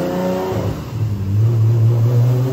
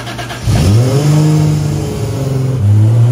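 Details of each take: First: Rat Rod 2JZ Supra on the shop dyno, two-step, traction control off (setting two): a hard pull that turns ragged and stuttery as boost builds, shaking the car. It made 1,040 hp; misfire under boost. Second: Rat Rod Supra, about 1,300 hp, after the mystery issue was fixed: a strong, clean pull through the gears with smooth pitch climb. The turbo seemingly tapped out, possibly near 1,272 hp; healthy full-boost acceleration.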